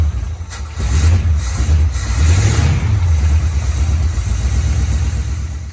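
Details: 1973 Firebird, first start after sitting at least 23 years and previously seized: it fires and runs with a deep, lumpy note, revs rising and falling unevenly, weak. Compression tested 130 on cylinder 2, 100 on cylinder 1 and near zero on the rest; carb rebuilt.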